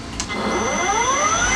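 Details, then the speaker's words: EGO electric mower that randomly shut off, tested after being taken apart to check its small switch indicators and reassembled; clean whine climbing smoothly as the motor spins up, no cutting out or rattle, normal running. "So now I'm going to go mow the rest of the lawn, and I bet it's not going to shut off once because that was the problem."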